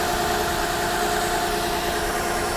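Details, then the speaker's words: Copart salvage car with an inoperative odometer and dash lights, idling with the hood open: a steady, even hum with no knock or miss. It is a runner, and the radiator has coolant. "yes she is a she's a runner radiator looks like it's where it's supposed to be"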